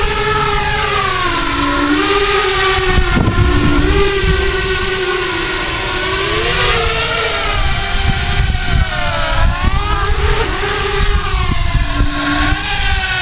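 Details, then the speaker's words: ArduCopter 6-inch race quad in alt hold, climbing and dropping so motor RPM sweeps to hit the frame resonant frequency for an FFT log: motor whine rises and falls, buzzy note swelling at certain speeds, frame resonance. "if you go up and down the motor RPM is going up and down and with any luck you can hit that frame resonant frequency"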